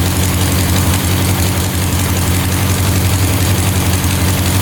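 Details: 1967 Volkswagen dune buggy air-cooled engine, non-runner revived: loud, throaty, slightly lumpy uneven idle, no knock, smoking; automatic choke stuck closed, running rich; owner suspects a temp sensor should open it when warm.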